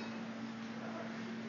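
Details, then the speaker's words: Brake rotor on a brake lathe during the cut, before a silencing band is fitted: clear, steady, wine-glass-like ring over a quiet background; rotor resonating, which will cause chatter marks. "you guys hear it ringing hear that ringing that ringing is what's going to cause those chatter marks I don't want that to"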